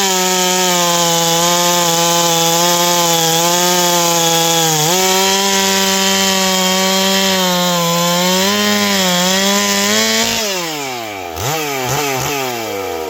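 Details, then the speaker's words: Ported Stihl 461 chainsaw after new Caber rings and repaired blown-out spark plug hole, cutting a log; steady high scream, sags briefly into the cut, then clears and revs freely: normal cutting under load. "This saw rips. That's uh that's nasty."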